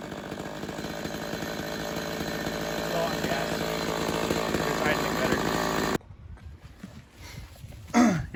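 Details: Homelite XL-113 chainsaw test run after reassembly to cure its idling problem, a cracked part found as a cause: steady, even two-stroke buzz for about six seconds without hunting or stalling, then clean shutoff.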